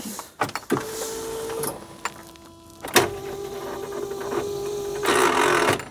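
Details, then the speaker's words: Smart Fortwo 450 Cabriolet with seized alternator: short electric whirs and clunks, no cranking rhythm; starter motor can't overcome the alternator and the engine doesn't turn. "no no movement that time start M it can't overcome that Bloody um alternator again"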